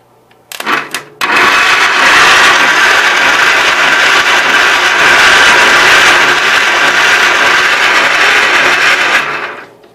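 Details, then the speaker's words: Gravely 810 with its coil run off a 2-amp charger. About eight seconds of even starter whirring with no firing or catch; the spark check shows no spark, and the owner decides to clean the points. "that looks like a big negatory to me Sue I'll go back to my original idea and clean the points"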